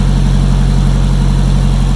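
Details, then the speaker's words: SR20DET turbo Datsun mini truck after fixing its fuel problem with an uprated fuel filter: it starts straight away, before warm-up, after many failed attempts. It settles into a steady, even idle with no misses or knocks. "oh my god it started up straight away"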